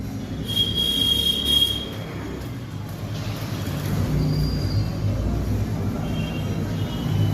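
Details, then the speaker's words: LG twin-tub washer spinner, tub leaning to the right, runs with a rough, surging rumble and brief high squeals that get much louder with a clothes load; spin tub imbalance. "कपड़े का लूट पड़ने पर की आवाज़ बहुत ज्यादा तेज आने लग रही है ऐसे चलने को उतनी आवाज़ तो नहीं कर रहा है लेकिन देखिए तिखा डिसबैलेंस बहुत ज्यादा चल रहा है"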